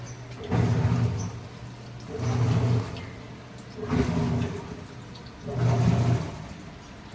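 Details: Washing machine after repair for weak, struggling rotation, new belt fitted, gearbox fault identified: motor hum rises and falls in smooth bursts about every two seconds as drum turns back and forth; normal spin.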